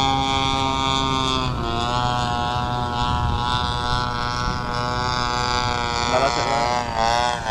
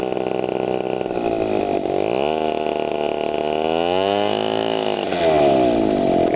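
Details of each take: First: TU 26 two-stroke engine in a converted RC trainer plane (186 cm span) during maiden flight: high steady buzz then wavering and dipping near the end; sputtering, owner suspects fuel, not confirmed. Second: TU 26 two-stroke engine on a converted RC trainer plane (186 cm span), warmed up and throttled up on the ground before maiden flight: high buzz swings down and climbs back to a clean sustained scream, no misfire; strong normal full-throttle run.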